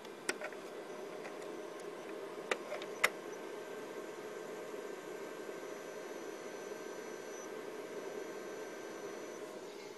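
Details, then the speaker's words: 250 GB hard drive with problems around 3 to 3.5 GB, case doors open and fan off: quiet spinning hiss with a few sharp isolated clicks, then silence; failing drive clicking. "so yeah and you can actually hear the drive complaining"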